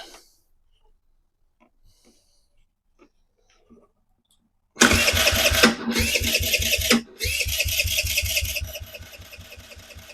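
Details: 2007 Kawasaki KFX50 four-stroke 50cc quad, after draining the fuel and refilling the carb, rapid starter cranking in two bursts that never catches; crank no-start.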